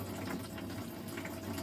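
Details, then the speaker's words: Well pump in garage kicking on with pressure tank at half pressure after household water use: low steady hum under rushing water, even drone, no knocking or squeal; normal well pump running. "I need to see see I was at half pressure in the tank probably from water I used in the cabin to do my uh breakfast dishes before I came out here that's why it came on so quickl"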